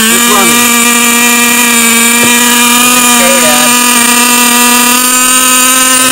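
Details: Traxxas T-Maxx nitro RC truck with 3.3 engine swapped in for the 2.5, which kept freezing up; first start, strong steady high-pitched buzz at constant speed with no sputter or cut-outs; normal running.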